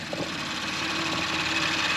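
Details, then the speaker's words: Audi RS5 2.9/3.0 VAG V6 idling after a rocker-arm failure engine rebuild: quiet steady idle with a smooth hiss, no rattle or ticking from the top end; normal idle, earlier clatter gone. "Päris rahul olen, et enam seda lõbinat ei ole, mida ma ennem kuulsin."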